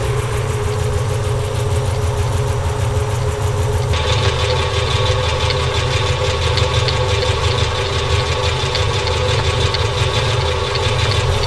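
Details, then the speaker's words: '73 Plymouth Duster, Gen III 5.7 Hemi with Eagle heads, idling with heavy blowby from the breather and zero fuel pressure: sharp, fast, steady ticking over a lumpy V8 idle, partly from the belt tensioner. "I'm seeing zero pounds of fuel pressure and I'm hearing a nasty tick. I'm going to see if I can isolate that. I know part of it is coming from this tensioner here."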